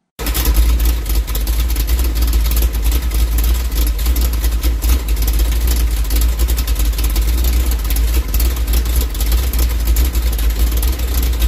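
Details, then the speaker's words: 406 small-block Chevy with a Summit 1203 cam and standard Delco hydraulic (non-variable) lifters, 800 rpm, 22° timing at idle, no vacuum advance, 11 in vacuum, 155 psi cranking on cylinder 1: deep steady loping V8 idle; normal big-cam sound. "I want to note that this is 800 RPM 22 22° at timing at idle with no vacuum van Vance hooked up uh take a look listen to how this cam sh sounds cuz it sounds awesome"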